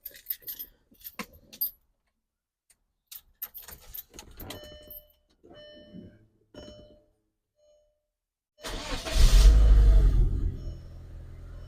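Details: 2003 VW Golf GTI MK4 1.8T, automatic, 107,000 miles, after repairing a crank-no-start fault: brief crank that catches, revs up and settles into a steady idle; clean start.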